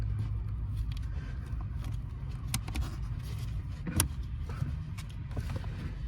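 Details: 1995 Honda del Sol Si cabin blower after cleaning the fan that ticked from the glove box area with heater or AC on: steady low fan hum with no ticking, running smoothly.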